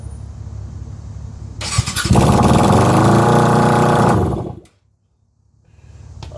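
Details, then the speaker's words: Yamaha YZF600R (Thundercat) started with two exhaust headers connected and two disconnected during header replacement: cranks, catches, very loud raw rasping run for two seconds, then shut off; open exhaust. "that is hella loud I don't see how you boys do that"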